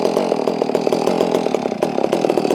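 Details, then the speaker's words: Warm Holzfforma G660 chainsaw during low-speed screw adjustment: it runs with a ragged, crackling rhythm and uneven pops instead of a steady note; the low-speed mixture is still lean and needs more low end. "Yeah, see, it still needs a little bit more low end. A little bit more low end up there."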